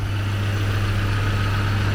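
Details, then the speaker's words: Freshly acquired car started with vice grips and screwdriver: steady even smooth petrol idle, no knocks or misses; small exhaust leak underneath noted. "But I do want to show you how nice it starts. So here you go. There you go. And there's our ignition. I definitely got to put a start button on this as soon as possible. And now you can see how nice it runs."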